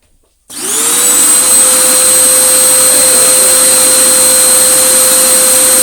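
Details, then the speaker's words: Vax Power U84-M1-BE 850W vacuum cleaner motor after repair, bench-tested before reassembly: spins up quickly to a steady, even high whine with no rattle, wobble or scraping; the motor sounds normal. "That sounds much better now. That sounds pretty normal. So we have actually done something constructive."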